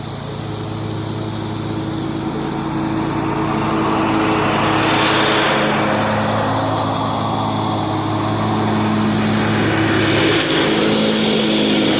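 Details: John Deere 345 with Kawasaki FD611V V-twin at about 490 hours, after revival repairs and a fuel filter change. Even, steady drone holding speed through the cut under mowing load, no misses or knocks; runs smooth and uses no oil.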